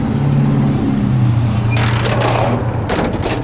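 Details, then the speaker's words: Model T truck after a drive, with a new head fitted because the old one wouldn't hold water: low, steady engine drone with a few handling bangs, even beat and no knock; temperature in the ideal range, normal running. "here we are and it did good and the the uh motor isn't too hot see it's in the ideal range"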